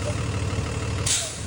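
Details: 2020 diesel bus with over 50k miles, never greased, that clunked when braking; after greasing and retesting: a low steady idle rumble, then a short air-brake hiss with no clunk.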